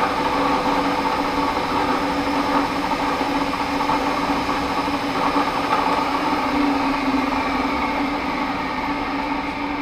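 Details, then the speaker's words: Webb 3VH milling machine motor on a Phase-O-Matic phase converter, working after one of its two capacitors was clipped out: steady, even electrical hum with a low drone, no growl, stalling or pulsing. Motor running normally. "Just clip one of the last capacitor in the chain out, and I did that, hooked it up, it works fine. So I'll fire it up here and show you it running."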